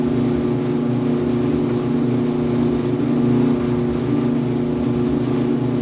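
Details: 5-year-old Electrolux EIED55H dryer makes a loud buzzing noise and vibration every 45 to 60 seconds: a steady, coarse buzzing hum with strong low tones. Caused by the blower assembly (134690800); replacing it fixed it, and the motor bracket was also replaced.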